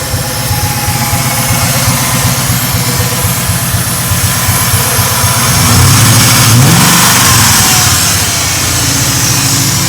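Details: Mark VIII engine swap, idling: quick, even ticking about four per second that rises with revs. Lifter tick is suspected, hoped to go away with more run time; not confirmed.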